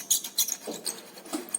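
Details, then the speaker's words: Renault Sandero steering column squeaking with short, high, chirpy bursts as the wheel turns; a bearing inside the column makes the noise, and the proper fix is replacing the part. "rolamento aqui dentro faz esse ruído para ver aonde que o mate porque eu não consigo ver direito vem aqui dentro aqui ó tem um rolamento"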